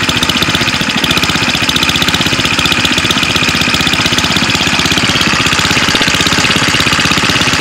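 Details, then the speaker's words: Go-kart small single-cylinder engine after no-compression fix, idling: quick even putter with crisp exhaust note and no grabbing chatter; runs steadily where it previously ran poorly. "sounds good. This thing was running so poorly that that thing would have it would have done it by now if it was going to do it."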